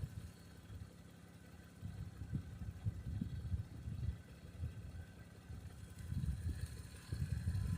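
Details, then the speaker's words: 1989 Toyota Cressida revived after sitting for years: soft, low, steady idle burble with no knocks, misses or squeals; normal idle. "Okay, guys, we got it all sorted. Hell, it runs perfect. I mean, freaking perfect."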